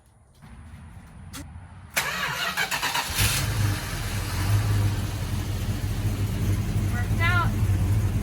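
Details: 1972 Plymouth Road Runner 400 after replacing the ignition module: a short crank, then the V8 catches cleanly and settles into a steady, lumpy idle with no misfire, a normal start and idle.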